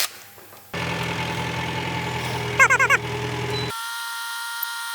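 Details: Jingong 30 single-cylinder engine after overhaul for abnormal noise (a broken piston found earlier): steady even idle thumping, briefly overlaid by a few horn-like toots; it runs clean with no knock.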